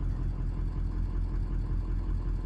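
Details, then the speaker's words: 2003 Ford 6.0 Powerstroke turbo diesel, stock except head studs: low, uneven idle clatter dropping beats. The misfire is felt across cylinders. IDS power balance shows injectors low, including a new number one; injectors are suspected. "look at these three and you can feel this you can feel this misfire across the board"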